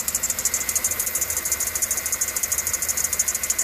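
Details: 2013 Chevy Suburban 1500 5.3 at idle with a new-looking serpentine belt: rapid high bird-like chirping squeak about three times a second from a worn belt tensioner pulley bearing with debris on its surface.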